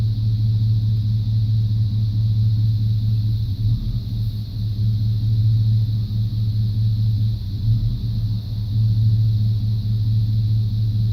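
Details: 1995 C1500 350 TBI V8 idling with an uneven rumble and a cylinder missing every few seconds; the misfire persists after new plugs, wires, cap, rotor, EGR valve and coolant temp sensor.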